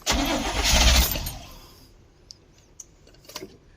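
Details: 1972 Barth motorhome, gasoline engine unrun for 15 years, restart attempt after battery reconnected; a burst of cranking catches for about a second then dies to quiet.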